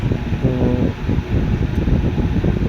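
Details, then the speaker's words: Super Asia air cooler converted to 12V DC, on a battery near 11.5V, fan at full speed with cooling pump motor running, drawing about 6.5A; low steady whoosh, no knocking or grinding; normal fan operation. "और इस वक्त full speed पे इसका फ़ैन भी चल रहा है और ये कूलिंग वाली मोटर है वो चल रही है।"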